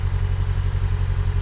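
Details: Mk1 Fiat Punto, low mileage, after correcting swapped HT leads that caused a misfire: steady, even low idle with no stumbles or skips, engine now firing cleanly on all cylinders.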